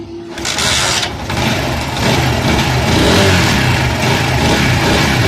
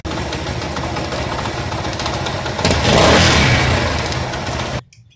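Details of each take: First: Motorcycle that made a bad engine noise, restarted after the four head nuts were tightened: settles into a steady, even beat with a couple of blips, no ticking, popping or smoke; normal running after repair. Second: Motorcycle engine: rough, raspy run with uneven thumping that swells on a throttle blip before shutoff; cylinder head gasket is bad and leaking pressure.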